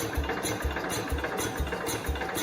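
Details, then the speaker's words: 1969 Cub Cadet 105 cranking after reassembly with a little gas put in the cylinder: slow even chuffing about two pulses a second, turns over but won't fire; owner suspects the fuel went out the exhaust. "okay it should have started off that little bit of gas that we put in the cylinder again unless it didn't get enough for unless it went out the exhaust which it almost sounds like it did"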